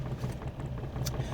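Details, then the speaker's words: Van engine running badly: low, lumpy idle rumble with uneven beats dropping in and out, misfiring heavily and struggling to reverse because of the misfires; engine misfire. "You can hear how crappy the van's running right now. It's misfiring like crazy. It's having a problem reversing now because of the misfires."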